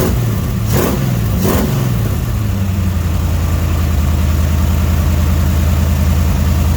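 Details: Dodge 318 V8, budget rebuild, reinstalled after a broken flex plate was replaced and cam and lifters inspected; oil pressure 60 psi, temperature 175–180°F: a couple of throttle blips, then a steady low rumble settling into a smooth idle with no knocks or misses.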